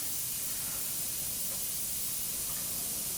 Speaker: That's why you hear the sizzling of the air, not sizzling, but the air escaping from the air compressor.